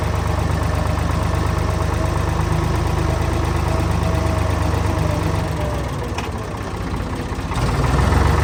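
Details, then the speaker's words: Old Ford diesel tractor after radiator reinstalled following leak repair, in cold weather, warming toward operating temperature while checked for leaks: steady diesel clatter at an even idle with no stumbles or odd noises; normal running. "all right so before I put this the rest of the way together I'm just going to let sit here and run for 10 or 15 minutes make sure it gets up to operating temperature make sure I don't have any leaks or anything like that"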